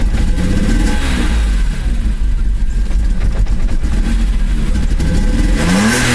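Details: Worn distributor cap and rotor on a BMW E34 M5 S38B36: engine revs unevenly, stumbling and popping with ragged dips as it climbs, a misfire.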